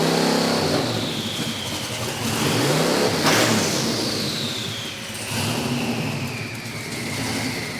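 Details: VK Calais running after injector and pushrod fixes: revs up and settles back smoothly twice, with a clean rise and fall in pitch and no misfire or knock. Healthy.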